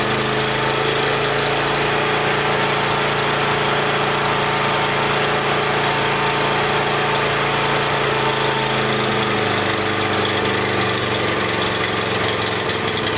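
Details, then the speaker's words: Small generator, on choke, low-oil shutdown disconnected: lumpy uneven running that settles noticeably as carb cleaner is sprayed at the rear intake; suspected lean air leak at the insulator block, not confirmed. "so did you notice when i was spraying that back here how it smoothed out and ran"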